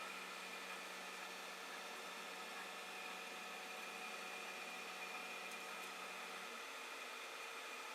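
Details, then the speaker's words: Creality Ender 5 Plus 3D printer bed lowering on its Z lead screw after fitting a Delrin POM TR8x4 nut: soft, steady motor hum with faint whir, no squeak or chatter; smooth, quiet Z axis. "see if it does it go down here but certainly not the squeaking ahead earlier"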